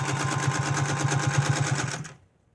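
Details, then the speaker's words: 1931 General Electric Model A sewing machine, featherweight predecessor, oiled but with a homemade belt, stitching at speed: fast rhythmic clatter with a rumbling train-like chug; rough noise attributed to a dry, unoiled bobbin case; upper tension slightly loose. "looks like it's doing good sounds like a train"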